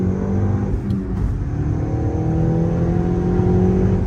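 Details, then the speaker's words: 2012 VW Golf GTI Mk6 with new Southbend stage 2 clutch and ECS stainless clutch line: engine pulls up smoothly under load, no juddering, little chatter, feels good; normal clutch engagement. "You already know, stage 2 south bend clutch in it, ready to roll. Sounds good, not a lot of chatter either. Actually feels pretty good."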